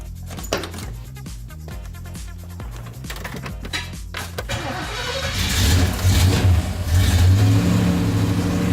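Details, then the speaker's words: El Camino with new Goodwrench small-block crate V8, first start: a few low pulses then catches cleanly and revs up smoothly, held at raised rpm to oil lifters; about 20-22 degrees timing with vacuum advance, oil pressure present, no clatter. "So it fired. We want to immediately get it up on RPM."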